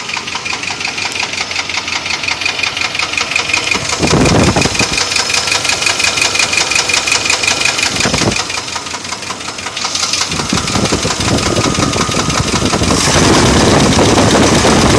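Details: 1995 Chevy Silverado 5.7L 350 V8: steady deep knock about three beats a second, louder as revs rise; bottom-end knock, owner suspects bearing damage, not confirmed.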